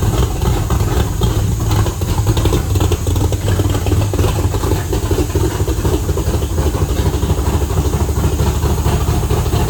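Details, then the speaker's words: Factory Five MK2 Cobra roadster engine with fuel injection reinstalled, oil system primed, first start in a year, in neutral, settles into a steady, lumpy, even idle with no misses or knocks; running normally. "All right, it's running. I'm going to check for leaks and walk around and let it warm up real quick."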